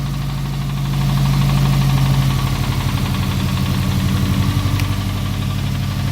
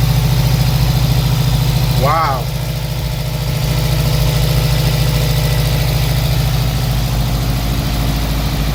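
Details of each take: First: Subaru WRX with swapped JDM engine, idling after oil-pan problems: loud rumbling idle with a deep, slightly uneven knock about four times a second; car drives well apart from the noise; bottom-end knock, source unconfirmed. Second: Subaru WRX with JDM replacement engine (fourth engine), first start after oil and fuel priming and coolant fill: smooth, even idle with no knock or tick; engine sounds healthy.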